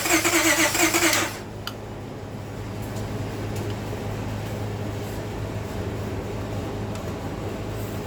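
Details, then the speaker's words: Car towed in with crank-no-start: after fitting new plugs and an external fuel source with treatment cleaner, it cranks about a second fast and steady, then catches and runs rough and uneven on its own fuel. "So it seems like it's running on it's trying to start up on its own fuel source."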